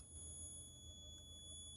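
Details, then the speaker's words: 2012 Daewoo Nexia N150, 219,000 km, idling: thin steady high-pitched whistle from the heater core as antifreeze flows through it, disappears with throttle or engine off; heater core replaced two months earlier. "слышите свист это свист вот с радиатора печки слышите Как работает То есть это так гонит антифриз через печку получается с таким свистом не знаю почему"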